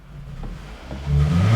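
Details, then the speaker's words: Toyota Camry with long crank, check engine light on, codes P0171 and P0101: throttle floored but revs lag almost a second before rising; sounds fuel-starved, suspected low fuel pressure causing lean hesitation. "so it kind of sounds like this engine is starving from fuel when you step on the gas all the way to the floor"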